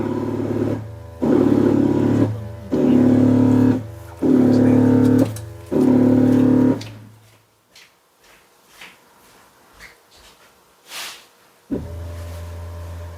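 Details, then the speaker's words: Jaguar XF (X250) ABS pump bleed run via iCarsoft CR Max scan tool, front right bleed open: five roughly one-second humming pump bursts with short gaps, quiet, then again; ABS pump cycling normally. "Well, the pump's definitely making noises. Pump is still making noises."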